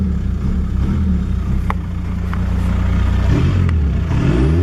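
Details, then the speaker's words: VW Golf TDI diesel: steady idle, clean quick rev and smooth return with no misfire or stumble; running good, owner may add ATF to fuel tank. "So yeah, now it's running good. Maybe I'll throw some ATF in the tank again and it'll smooth right out."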